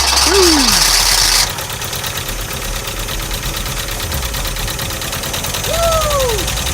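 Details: VW Vanagon Westfalia restarted after a week of attempts, with new spark plugs, fresh gas and injector connectors refitted; catches and settles into a fairly even idle with a few short chirps, no knocking. Normal idle.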